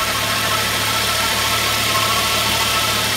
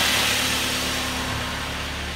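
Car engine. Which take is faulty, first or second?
first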